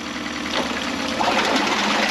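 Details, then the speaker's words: 2011 Mercury 9.9 four-stroke long shaft, after a full service, running in a test tank: shifts smoothly forward, neutral, reverse, neutral with water splashing and no clunk or stumble. "by ending forward back to neutral and then into reverse it's just really nicely and then back to neutral"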